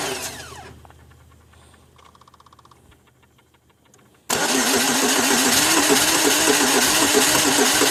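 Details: 2002 Pontiac Grand Am: steady rhythmic cranking about three turns a second without catching; cranks but won't fire, eventually starting after about six to seven tries.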